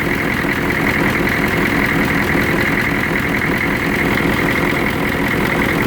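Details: 1993 Chevrolet CK2500 6.2 diesel at idle: loud clatter with uneven, shaking beat instead of steady rhythm; rough idle with vibration, cause not determined.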